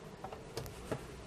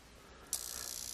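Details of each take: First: Leviton LTB30 exhaust-fan timer that had buzzing after about a year, now relay pulling in and out cleanly with crisp isolated clicks after adding a parallel capacitor to its relay smoothing capacitor. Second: Leviton LTB30 exhaust fan timer on a bench supply, buzzing after about a year in use: a quiet start, then a harsh, high-pitched buzz as the relay chatters very rapidly. Its driver can't hold the coil in due to a failed supply capacitor.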